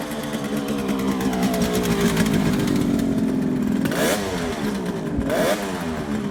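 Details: 1971 Kawasaki H1 500 two-stroke triple in the cold, after fixing a faulty spark plug cap and a loose distributor-cap wire: fires up crisply and revs cleanly with throttle blips, no misfires.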